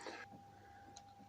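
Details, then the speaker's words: Floor fan that stopped working after years of service, switched on at first speed before disassembly: faint steady electrical hum with no blade whoosh. The motor is powered, but the shaft is stiff by hand. "так включаю примеру первую скорость будет но не крутит если будет это хорошо значит напряжение поступает на двигатель а что не крутит это плохо"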